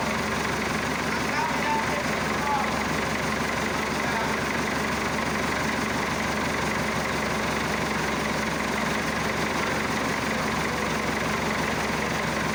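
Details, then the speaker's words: Massey Ferguson Super 90 diesel tractor just after replacing a faulty negative ground cable that caused slow cranking and no-start; fixed and held at cold idle, not revved. Even, unhurried diesel chatter, steady with no misses or surging over hissy background; normal cold idle. "She's still in idle cuz you can't rev up a cold engine."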